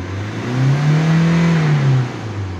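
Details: 2016 Hyundai Accent CRDi diesel with crank/no-start and low power, after altering turbo intake/airflow sensor connection: smooth clean rev rising and falling, reaching about 5000 rpm; mass airflow sensor identified as the problem.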